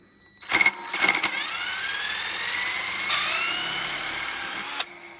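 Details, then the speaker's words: Original AJR-marked alternator from the Ellery Supercheap Auto V8 Supercar Falcon, spun on a bench test with zero output: harsh, gritty rushing over a whine that climbs with speed; the bearings are grumbly at speed though fine by hand, and a rebuild is planned. "you can hear it's really grumbly as well. It wasn't too bad turning it by hand, but at speed it sounds pretty horrendous."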